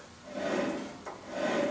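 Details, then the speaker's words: 1994 Geo Tracker 4WD, front hub spun by hand with the brakes removed to rule out pad rub: two rough, gritty swells of grinding from a bad wheel bearing. "So, it's obvious this wheel bearing's bad."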